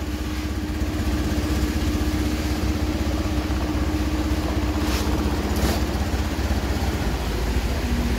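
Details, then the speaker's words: Honda Beat F1 scooter, stalling on the road and using oil: the kick-start feels light and compression is lost; a steady low idle with a soft, slightly uneven beat about twice a second, with no smoke. "mogok di jalan dipakai gak tau hilang kompresi di engkol terasa ringan"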